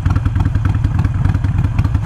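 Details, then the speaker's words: Harley-Davidson Iron 883 with Vance & Hines Fuelpak FP3 running AutoTune after an external breather install: lumpy V-twin idle thumping unevenly, sagging low with occasional small pops; cause not confirmed, AutoTune suspected. "See? You hear that little pop, and it keeps on kind of getting really low at idle."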